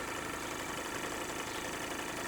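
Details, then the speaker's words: Live steam 16mm-scale 'Russell' model locomotive run on compressed air with valve closed: busy even chatter with light rattle as axle pump pumps into the boiler against pressure; normal axle pump operation. "so you can hear it rattling a little bit more as it pumps against the pump cuz it works against the pump"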